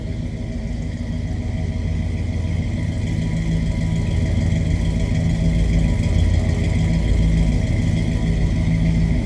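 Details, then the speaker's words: 1968 Chevrolet C10 long-box pickup, 350 cubic-inch small-block Chevy V8: deep, even rumble with a smooth steady beat and no knocks or misses. Healthy, good-sounding idle. "Sounds healthy. It's a good sounding small block Chev. 350 cubic inches."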